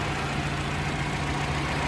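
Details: Fiat Doblo after repair of a bearing-type noise that appeared when the AC compressor engaged, now reported 100%: even, steady idle with a constant low drone and no knocks or ticks.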